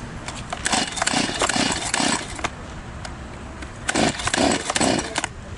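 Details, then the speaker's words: Stihl chainsaw that won't start: repeated rasping pull-starter strokes in bursts, never fires; spark plug found fuel-soaked. Fixed by draining fuel, blowing out and refitting the plug. Flooded engine. "Действительно, не заводится. Снимаем крышку. Берём свечной ключик. Выкручиваем свечку. Свеча залита."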